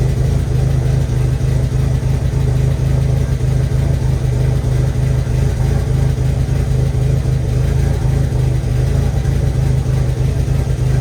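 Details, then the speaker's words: 1.8T engine at its first start after a build, a low, uneven idle with an irregular stumble, almost like a slight misfire, from incorrect ignition timing; it is still burning off leftover oil on the exhaust. "This sounds a little weird, almost like it's like misfiring a little bit, but I'm gonna check the oil again and reset and see where we're at."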